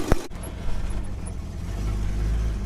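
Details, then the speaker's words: Holden HK with a V8 gives a deep, booming rumble that swells and stays heavy down low; far too loud through a damaged exhaust that still needs repair, power steering now working again. "yes she still sounds like a pub truck until i get the exhaust fixed"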